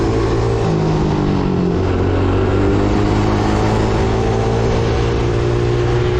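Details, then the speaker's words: Coolster 110cc quad, sat two years, on test ride: engine holds high steady buzz, never dropping to idle; throttle stuck open, carburetor cap found not screwed on properly. "W the throttle um um stuck open on me so not good you can hear it there's some stuff going on in there"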